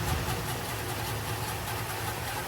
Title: F250 Weird Noise. No idea what it is.